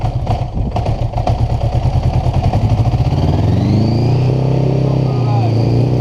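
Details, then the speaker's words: Revived 1980 Honda GL1100 Goldwing, cold-blooded engine, starts with clutch pulled in after solenoid swap; uneven firing pulses settle into smooth revving and a steady rising drone, running normally. "I just gotta cut back in and just say how happy I am that this is actually running."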